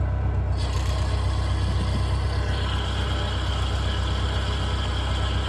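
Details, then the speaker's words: Manual car with a replacement transmission, everything else new: heavy low drone with a faint high whir appearing when the clutch is released, absent with clutch in; suspected pilot bearing or input shaft bearing, cause undetermined. "I don't know what it is someone's told me it's a pocket bearing someone else told me it's a input shaft bearing"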